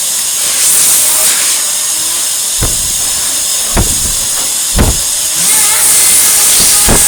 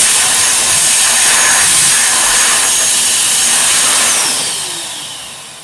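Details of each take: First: 1949 Electrix paint sprayer blower after restoration: constant high airy hiss over the whir with dull thumps, blowing raspberries; air escapes past the rubber seal, tape fix did not work. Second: Restored, tuned-up 1949/1950s Electrix paint sprayer blower running after refurbishment: a steady, high, airy roar with an even hiss and no knocks or rattles, then winding down. The blower runs healthy.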